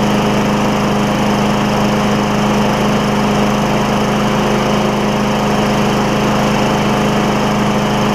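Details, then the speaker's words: Craftsman mower, Tecumseh Vector engine, first run after a carburetor replacement, air filter off, burning off some oil: steady, even single-cylinder buzz at constant speed with no misses or knocks. Running normally. "that's awesome that works out great actually um go just got some oil to burn off I'll let it run I'll put the air filter on it let it run for a little bit here"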